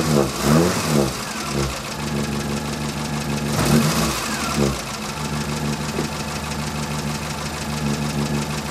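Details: Morris Minor after fitting a new distributor cap, rotor arm and cables to fix its ignition problems, starting and warming up: a few rough catches, then a steady, even idle, and the engine sounds healthy.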